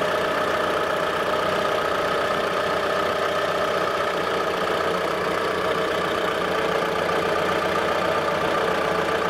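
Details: 2013 Mitsubishi Grandis GLS 2.4 MIVEC, transverse front-wheel-drive, idling: smooth, steady idle with even beat, no stumbles or skipped firing; healthy, no misfire.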